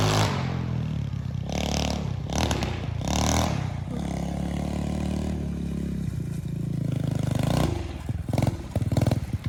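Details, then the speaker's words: 125cc pit bike with a newly installed 26mm NIBBI carburetor, kickstarted, choke off, idling fine, then ridden: it revs unevenly and bogs on throttle. The rider suspects it is not getting enough fuel and changes to a 40 pilot jet and a bigger main jet. "Alright, I'm gonna go take it for a ride. Let's see. Ooh, it sounds like it's bogging a little bit."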